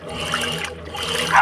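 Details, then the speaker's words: Electrolux washing machine agitating after replacing a small worn bearing in the mechanism: normal water sloshing with faint motor hum, the loud agitation noise gone. "ó acabou o barulhão esse barulhinho aí é o normal dela"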